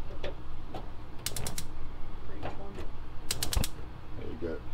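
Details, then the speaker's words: 2020 Grand Design Reflection 311BHS fifth-wheel RV propane stove: crisp rapid ticking in short bursts from the spark igniter while lighting the pilot; normal clicking. "light the stove, just turn this, you'll hear it clicking. Then when you hit it, it stops clicking, the pilot should be on."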